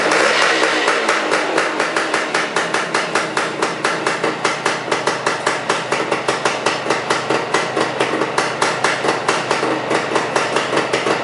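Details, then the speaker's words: Even, sharp two-stroke popping at about four beats a second on a restored 1975 Suzuki 185, choke just turned off, carb idle left at its original setting after reassembly; chugging right along at a normal, healthy idle. "look at that chugging right along"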